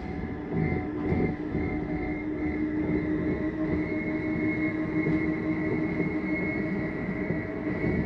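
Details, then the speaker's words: 2023 Flagstaff Classic 832BWS travel trailer, slide-out retracting: steady, even motor drone with a constant mid hum for the whole travel, no grinding, clicks or strain, then the noise that means it is fully in; normal. "I want you to hear that noise that is just the slide mechanism saying I'm in all the way take your finger off the button"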